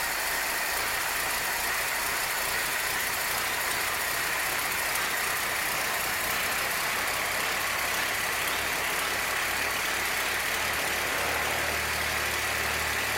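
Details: 1966 Chevrolet C20, Chevy 292 six, just after first start, still cold: steady, quick, even idle with a light rumble building; valve train sounds good, but it runs a little fast pending warm-up and timing light. Fast idle.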